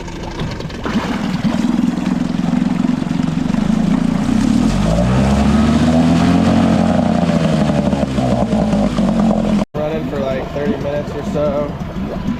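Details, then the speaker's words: Nissan outboard, fired right up; steady even idle with unbroken low drone and gentle pitch swell midway, no knocks or misses; normal idle. "All right, just going to run this Nissan now for like 30 minutes or so. Seems to be idling good and fired right up."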